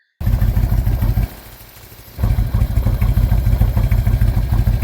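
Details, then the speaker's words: Early 88-inch Harley-Davidson Twin Cam, 83K miles, low idle: loping idle with a dull "ruggle" rumbling rattle, not a valve-train tick. Compression, leak-down and oil pressure tests were OK. Suspects lifters, compensator or valve train; undiagnosed. "Um, the valve train noise is very tickity tickity tickity. Uh, I've I've owned Hemis before. They do that all the time. Um, so it wasn't too much as you see in the video. It's kind of a ruggle ruggle ruggo sound."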